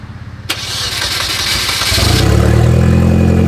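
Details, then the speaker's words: Salvage Hyundai Genesis Coupe first start after auction purchase, no intake fitted: engine fires into a loud, raw idle with hissy rasp where the exhaust has broken off, yet turns over evenly and sounds healthy; loud exhaust leak. "she runs sounds sounds exhaust broke off right there yeah I know it sounds pretty healthy though"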